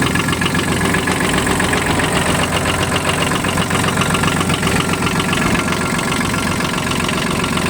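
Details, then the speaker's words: Kubota KH-8 mini excavator diesel with 1954 engine hours, idling after an easy start: an even beat around four a second with no misses or knocks, running smoothly with no concerns about the engine. "никаких вопросов о работе двигателя не возникает"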